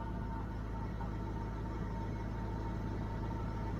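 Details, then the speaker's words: Church van idling after exhaust repair: smooth, steady low exhaust rumble with even beat, no puffing or ticking leaks; sounds better than before, healthy. "it actually does sound pretty good this fan always had a decent sound to it but i think it sounds better now"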